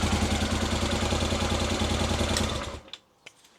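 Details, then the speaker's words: Honda Africa Twin after full rebuild, with tickover corrected by removing a restricting spring on the top screw: steady, even twin-cylinder idle with a soft regular exhaust beat. Starts, runs and ticks over properly. "So finally, engine-wise, I'm happy. She starts, she runs, she ticks over properly."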